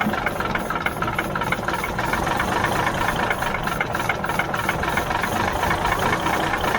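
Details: 1977 Mack R-model diesel gives even starter churning with ragged knocks only as ether catches, while the lines are watched for fuel. It never picks up on its own. Fuel reaches the injector pump but nothing comes out; no fuel delivery.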